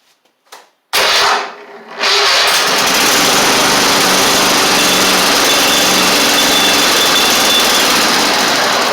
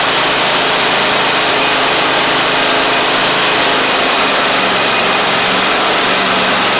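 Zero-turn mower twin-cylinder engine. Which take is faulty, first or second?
first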